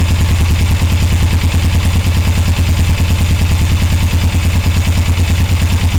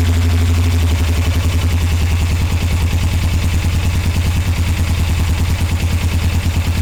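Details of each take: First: 1981 Suzuki GS450L during clutch cable adjustment to cure a clack-clack clanking: steady, even idle thump about three beats a second with no clanking standing out; sounds settled and acceptable. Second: 1981 Suzuki GS450L, clutch cable being adjusted for hard pull and clack on release, top nut loosened: loping idle about two beats a second with metallic clatter near end of lever release; owner suspects cable adjustment.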